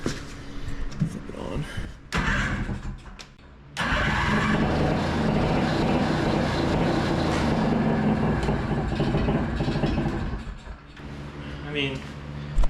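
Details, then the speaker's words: Rebuilt 1982 Honda Odyssey FL250 two-stroke with aftermarket Nibbi carb, hot (about 300°) after an 8-mile ride: it runs roughly, then sags and dies, won't idle; a belt-like dragging is also heard; owner plans a bigger pilot jet. "Engine's nice and hot. About 300°. Um, it doesn't idle, though, which is really frustrating."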